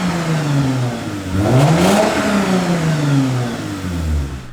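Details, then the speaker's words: V6 American truck after fitting a new exhaust with a 4-inch tailpipe; the original had two extra cats and a silencer. Revs climb smoothly through a blip back to an even idle; loud but healthy. "yeah that's right it's not so loud that my neighbors won't stab me but it's loud enough that he actually hears a v6"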